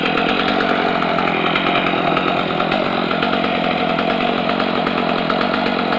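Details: Stihl MS250 chainsaw with 18-inch bar, after cold start, chain brake on: crisp steady high-pitched buzz with even firing, no misses or sputter. Normal healthy running.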